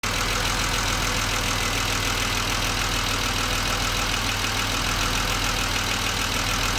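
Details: BMW 635CSi E24 with the air hose refitted to the throttle body after rough idle investigation (ICV); warm at about 80% operating temperature, restarted: smooth, even idle, warm starts fine; earlier it shuddered and stalled on throttle.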